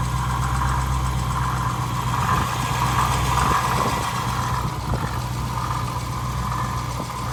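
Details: Dodge Challenger Scat Pack idling: low drone with a gritty, wavering whir on top from a failing water pump, later replaced under warranty.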